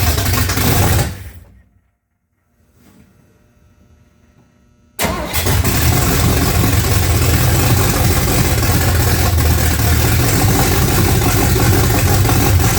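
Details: Freshly built 355 small-block Chevy V8 (double-hump heads) in a '55 Chevy, just after first fire-up: quiet gap, then it catches and settles into a deep, even, steady rumble; normal healthy idle.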